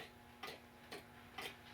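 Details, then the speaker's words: Ansonia time-and-strike pendulum clock, circa 1900, after a crooked part was bent straight. Even ticks roughly every half second with equal gaps. It's in perfect beat. "And that's it. It's in perfect beat."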